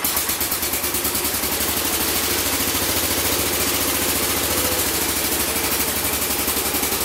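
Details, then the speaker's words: Massey Ferguson 14 garden tractor, Kohler K321 single-cylinder, after carburettor repair: even, crisp beat at steady fast idle with no pops; backfires and exhaust flames gone, running cleanly. "no more backfires it was backfire to the curb back front of the exhaust flames with the exhaust so she is ready to go"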